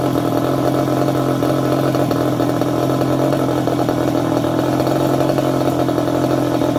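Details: Second-hand 1/5-scale RC Baja with a small two-stroke engine: high, buzzy note runs steady with a fast, even crackle and no misfires or stumbles, normal running.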